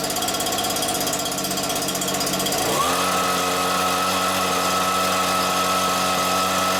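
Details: Stihl BR86c two-stroke leaf blower after engine rebuild (new crank bearings; bottom-end bearings had failed from wrong 2-stroke mix) and carburettor clean: catches and climbs to a steady high buzz without hunting; runs normally.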